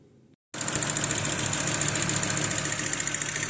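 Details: 1995 VW T4 with ACU petrol engine, fully warm at operating temperature: uneven pulsing rough idle, engine stumbles and stalls when warm; swapped fuel injector rail did not fix it, cause still unknown.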